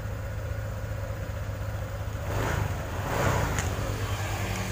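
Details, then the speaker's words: 2018 Honda Vario 150 scooter that only clicked at the relay near the battery, after cleaning the starter switch contacts: low hum, then the starter engages about two seconds in and the engine fires and runs evenly; fixed. "starter lagi matikan terdengar Mas Bro statennya alhamdulillah sudah bisa sekali lagi oke Alhamdulillah permasalahannya sudah beres"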